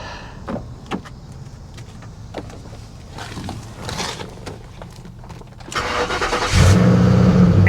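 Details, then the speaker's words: 1984 GMC G20 conversion van abandoned for years and suspected to be a flood car: a few seconds of cranking, then it catches first try and settles into an even, steady run with no knocks. The transmission sounds good. "freaking rooms are you kidding me and it sounds good the transmission"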